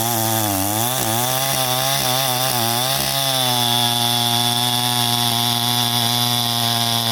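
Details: First-generation Stihl MS261 with a gutted, ported muffler, oiled foam filter, rebuilt Zama carb with the high circuit tuned, 30:1 mix on 91-octane, at 7000 ft cutting dry ponderosa: it winds up four-stroking, bogs slightly, then holds a clean scream under load; a normal cut.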